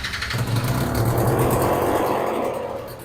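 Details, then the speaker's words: Yamaha BWS 100 (MBK Booster 100) two-stroke, first startup after a Malossi 125cc big bore kit with a 22mm Dellorto carb. Raspy revving with a ragged, spitting chuff: exhaust leak from a squished, dented, cracked pipe blowing at the header. "You can hear the exhaust blowing. So you can see this pipe is squished and a little bit broken."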